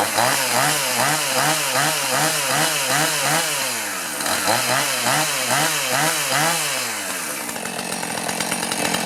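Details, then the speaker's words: Chainsaw (2-stroke) that sat over 5 years unused: crisp revving about twice a second, clean pickup, settles to a smooth idle; healthy saw. "What I'm going to do is go ahead and start it up and let it run a little bit, make sure it's running right."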